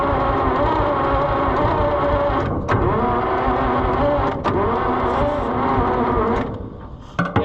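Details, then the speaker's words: John Deere 55 EB combine, long stored, carburetor rebuilt: starter churns with an irregular, lopsided beat and weak compression strokes; owner suspects low compression but says it always sounded like that. Uneven cranking, suspected low compression. "it doesn't sound good does it it kind of always sounded like that though"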